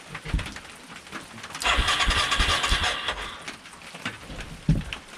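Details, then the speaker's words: 1989 Yamaha Moto4 350 single-cylinder ATV with a brand-new carburetor, choke on and fuel reaching the carb: the starter spins it in a steady, uneven churn but it never fires; owner suspects a large vacuum leak. "so i put the cap on cranked it and it pulled fuel right up into the carb so why won't it fire is there just a great big vacuum leak somewhere that i missed"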